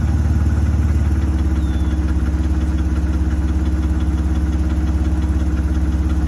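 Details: BMW E60 530i inline-six with spun rod bearing, restarted after months sitting and 7-8 minutes of cranking: idles with a steady heavy low knock about three or four a second under the exhaust beat; rod knock.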